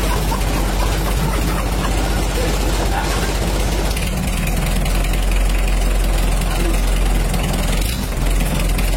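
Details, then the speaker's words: Mitsubishi L300 diesel after engine rebuild and larger-diameter 14B rotor head fitted, first start: even idle about four beats a second with light normal clatter, no miss or hunting; smooth, clean normal idle. "Oke Alor Alhamdulillah sudah hidup dan suaranya halus karena air meskipun ini kita ganti punyanya Rino suaranya lebih mantap dan eh bisa dihaluskan juga dan kecuali asalkan tapi ini sudah halus dan suaranya lebih bersih"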